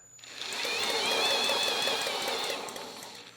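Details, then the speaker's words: Generac GP series generator (GP5000/GP5500/GP7500e), bought neglected, condition unknown: engine spun up at speed gives a rough, gritty whirring that rises and fades, grinding or rubbing, no knock; owner suspects a bad ball bearing, compression present, doubts it will last long. "It did seem like there was something grinding or rubbing [snorts] in ways that it shouldn't."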